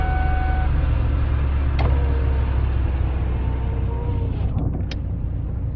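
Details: 2002 Ford Taurus 3.0 V6 with a P0303 cylinder 3 misfire, after the faulty cylinder 3 fuel injector was replaced: the engine catches and settles into a steady, even low idle with no stumble. It runs smoothly on all cylinders.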